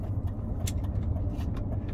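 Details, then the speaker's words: BMW E31 propshaft centre bearing heard from the cabin while pulling away from a stop: a deep, continuous low rumble under the car with light rattles, worsening with more throttle; worn centre bearing. "center bearing this one is much more noticeable when you're pulling away from somewhere say we got to this position here and stopped you start the car moving okay to start with it goes and the more you put your foot down the worse it gets"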